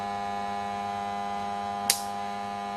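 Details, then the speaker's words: KANE 425 flue gas analyser switched on with probe in fresh air, starting its 30–60 second fresh air purge countdown; steady even electrical hum with one brief click, the sampling pump running normally. "Then press the on button. You can hear the pump start. It starts its countdown, briefly flashes up the battery status, the fuel and also the pressure units, and it continues its countdown."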